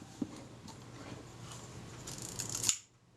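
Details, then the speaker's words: Kodak Retina IB camera that had locked up, being wound during service: quiet winding with a sharp click near the end; cocking rack jumping a tooth, problem in the top mechanism. "i heard a nasty click that sounds like the cocking rack jumping a tooth"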